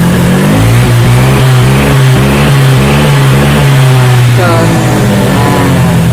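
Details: Honda Vario 125 fuel-injected scooter that blinked injection light 8 times (TPS fault, tampered TPS sensor), with sputtering and exhaust popping; after repair it starts and revs cleanly, pitch rising and falling evenly with no stumble or hesitation.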